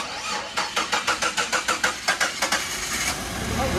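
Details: Car started after starter replacement: about a dozen quick, even cranking beats, then the engine catches and settles into a smooth idle; a healthy start.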